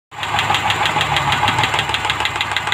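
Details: Rover P5B V8 at idle: a sharp, even, light top-end tick about seven times a second, from a noisy lifter. The noise changes when pressure is applied to it.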